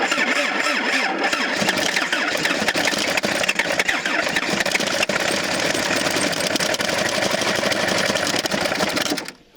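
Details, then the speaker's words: 1977 Toyota Celica GT liftback, parked about 20 years, first start on a battery pack with cable wiggled: catches and runs ragged and uneven for several seconds, then quits; rough misfiring start after long storage. "Hey, well, that kind of ran. Yeah, kinda. I mean, it at least started, so that's a plus."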